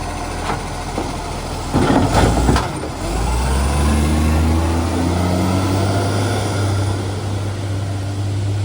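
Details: Garbage truck diesel under load, a spare truck that has developed an exhaust leak and slamming. Heavy drone with a rough, puffing rasp and an air-brake hiss partway through: loud exhaust leak.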